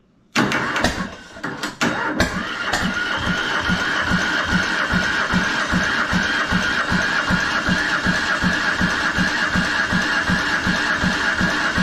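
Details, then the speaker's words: Diesel Creek RamX hydraulic trench compactor with a transplanted military surplus small diesel cranks at a steady beat, about two and a half pulls a second, but never catches; owner suspects an air pocket in the injector line and keeps bleeding it. "oh it wants to go i can tell nothing yet gonna bleed this injector line some more i think we still might have an air pocket in there"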